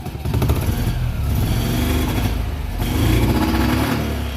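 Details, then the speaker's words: Single-cylinder engine run briefly without its cooling fan: picks up cleanly and holds high revs without stumbling; the change made a huge difference. "yeah there we go that's all I wanted okay now I'm gonna shut it down so that made a huge difference"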